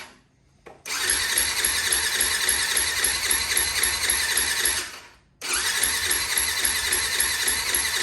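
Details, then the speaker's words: 2004 Yamaha WR450 with choke on, after a failed kickstart: two long electric-start bursts at about four pulses a second that never catch. No fuel was reaching the engine because the carburetor float needle was sticking; opening the carb drain and tapping the carb restored fuel flow. "Okay, so all I did there was I just opened the drain on the carb and tapped on the side, and now we have fuel flow. So that needle is a little finicky apparently."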